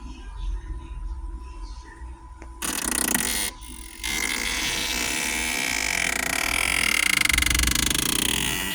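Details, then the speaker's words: Car heater area makes repeated creaky croaking bursts behind the dash, a few per second, on its own after starting, with no engine change; bad blend door actuator. "car's making this noise on its own. Okay, active. It needs a part or an exorcism."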